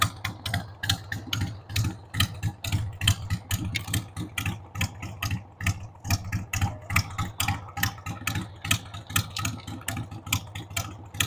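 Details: 1993 Harley-Davidson Sportster 883 Evo V-twin, stored about 15 years, just started on starting fluid with a dead battery: a lumpy, unsteady idle with irregular low thumps, some firings weaker than others. The owner says the carb needs cleaning.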